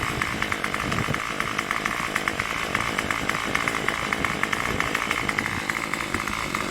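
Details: Craftsman WeedWacker gas trimmer model 316.791191, MTD 27cc two-stroke with Zama C1U-P27 carburetor, after rebuild; crisp, even two-stroke buzz with regular firing and no hunting at a steady idle around 2700 rpm.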